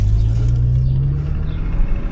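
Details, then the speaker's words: Porsche Macan S petrol at 67,796 km: deep, heavy, severe knock pounding through a low rumble. A connecting rod is suspected; timing or a piston are also considered. The engine must come out to find the cause. "Ah ouais, putain, on l'entend le claquement là. Putain, on dirait une bielle, hein."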